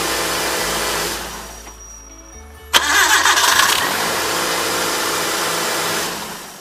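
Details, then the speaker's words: 1997 Hyundai Accent after fixing a squeaky belt, mic at the front belt: engine cranks, catches and settles into a steady, even idle with no squeal or chirp; normal idle. "No, you heard it have no noise."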